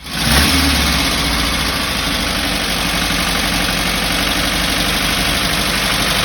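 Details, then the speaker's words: 1968 Porsche 912 air-cooled flat-four with rebuilt carburetors, after a clogged idle jet was cleaned and refitted with a new O-ring: catches and settles into a steady, even idle; running normally. "i never even heard it run like this and hit those high rpms without dying down to the end so let's keep it going"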